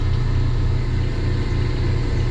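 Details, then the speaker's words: Laars Pennant commercial hydronic gas boiler after circulating pump repair for a loud noise and leak: pump started, smooth steady low hum with no knocking, grinding or rattle, no leaks; normal running. "pump started pump started everything's running no leaks everything's quiet it's nice and clean"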